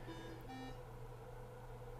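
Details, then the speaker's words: Cardiohelp ECMO console, arterial pressure (P-art) warning limit set to 0: short electronic warning tones over a steady low pump hum, a yellow alarm for P-art above the warning limit. "We're getting a P-art above the warning limit. I set that to 0, so we're greater than 0, so we have a yellow alarm."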